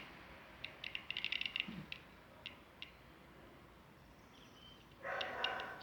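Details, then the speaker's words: Electrolux microwave plugged in and idle: faint, irregular high chirps like an insect, from the faulty control-board buzzer that beeps for keys and end of cycle. "escutando esse berlim e aí ó tá vendo como se tivesse algum green algum algum bichinho algum fazendo um barulhinho tá vendo e o que que é eu vou falar para vocês é esse buzzer aqui tá"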